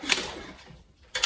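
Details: Spark check on an old 5 hp Toro snowblower engine, with the engine removed for carb work: two short, crisp snapping clicks about a second apart in a quiet room; the plug is sparking, so ignition is healthy.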